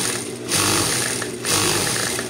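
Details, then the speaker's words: Juki high-speed sewing machine with a knocking inside: fast clatter with heavier knocks surging about once a second. The mechanic suspects something under the bed, not the gear teeth, which are not loose, so he opens the back to check. "So itong problema ito, lumalagatak, may tumutunog."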